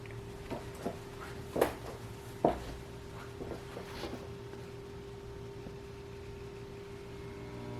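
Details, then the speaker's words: 1963 GE RC1641 tube console record player with Garrard AT6 turntable after swapping in a new tube: steady low 60-cycle hum persists under handling knocks. "and we still have the hum so that didn't help"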